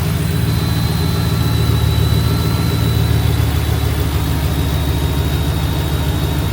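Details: Truck engine at idle after idler pulley replacement, which had caused a turbo-like whine. Deep, steady idle rumble with no whistle or belt whine. Normal idle.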